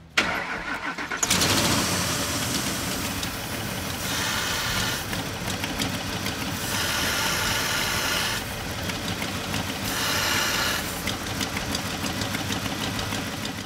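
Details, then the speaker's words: Engine cranks and settles to idle with a sharp, airy hiss rising over it: a vacuum leak through a hose that looks knife-cut, causing a lean condition. "right so the cause of our vacuum link is pretty obvious"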